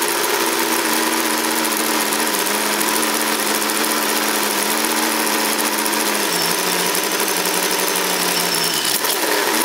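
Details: Camaro IROC-Z with a 350 V8 (likely from a 1974 Chevrolet), idling around 1100 rpm: steady idle whose pitch sags noticeably as the electric fan kicks in; owner suspects weak alternator and/or battery, alternator most likely, not confirmed.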